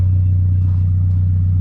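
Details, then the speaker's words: MK3 VW Golf exhaust with a loud, steady, constant-pitch low hum heard at a corner of the car. The hum fades toward the back, where only the exhaust is heard, and something also rattles; the hum's source is unclear. "Like right here in the corner, it has this crazy loud like hum to it. And then back over here, it kind of goes away. And all you hear is the exhaust up here."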